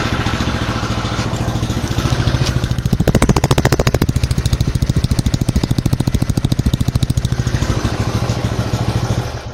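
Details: Restored Honda GL Pro single-cylinder motorcycle after electrical rework and new CDI (old CDI had blown), started by jumpering: even putter about three and a half beats a second, steady, no misses; normal idle.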